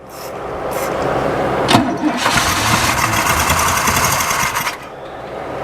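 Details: Pontiac Firebird V8 (90s), long abandoned, after squirting fuel in: starter grinds the engine over in a rough, uneven rhythm for a few seconds and stops without firing; it cranks but won't start.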